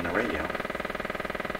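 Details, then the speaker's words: Pye 39HC shortwave broadcast receiver on AM broadcast band with antenna in wrong place: fast even putt-putt pulsing about seventeen beats a second over the audio; motorboating, cause not yet confirmed. "that that really does sound like motor boating to me"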